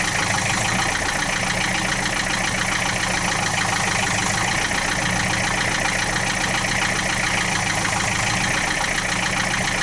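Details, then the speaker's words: 1966 Austin London taxi diesel, started without glow plugs at about 35-40°F: loud busy clatter at steady idle, no misses or knocks, about 50 psi oil pressure, no smoke; normal loud diesel idle. "i'm not saying that it's a bad noise but i mean it's just got a loud it's a loud diesel and which i think everybody had said they were loud diesels anyway not a big deal"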